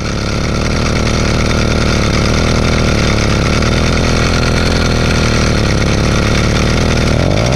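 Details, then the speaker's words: Zeda Triple 40 two-stroke motorized bike engine after rebuild, idling with clutch cover off: rough raspy grinding over rattly idle; visible clutch assembly wobble suspected from worn pressed-in bearings, assembly to be replaced. "another reason which makes me believe this is the cause of the noise is simply because when the bike's at idle with the cover off you can see that there's a lot of wobble in the clutch assembly"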